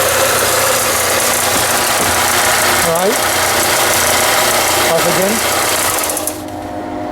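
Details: Harbor Freight belt sander after repair (belt previously wouldn't move; cleaned machine and very dirty bearing): even motor drone with steady belt hiss and brief speed dips, no knocking or squeal, then winds down; runs properly.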